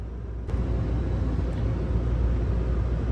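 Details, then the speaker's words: Failed compressor on a new HVAC system about two years old: the contactor is welded shut and the pressure control has shorted. Only a low, steady hum and rumble with no compressor pickup; the charge is not thought lost, and the compressor is toasted. "so not I don't think we lost a charge but that is toasted if you can hear it so that compressor is gone it's like 2year old system at the most going on two years"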